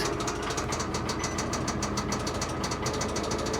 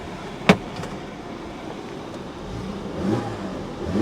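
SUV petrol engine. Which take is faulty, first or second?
first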